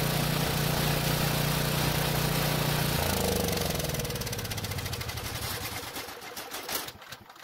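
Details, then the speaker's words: Small generator engine that ran only on choke, after cleaning partly clogged carburetor jet buildup: steady even beat about three seconds, then winds down smoothly to a stop; runs cleanly off choke, normal running. "so it looks like that was the problem there was a buildup in the jet that didn't clog it completely but it was certainly on its way"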